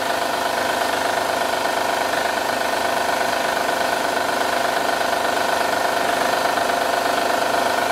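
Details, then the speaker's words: 2010 Honda Odyssey 3.5L i-VTEC V6 idling: steady metallic rattle from upper engine, timing chain slapping due to bad timing tensioner, which must be replaced first. "as you can hear that's terrible rattle it's up here"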